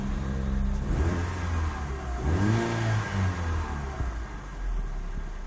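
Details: 2005 Proton Savvy, about 7 years old, 157,000 km, second owner: uneven revving with wavering, lumpy note and irregular beating under the engine sound; unusual engine noise, cause unknown.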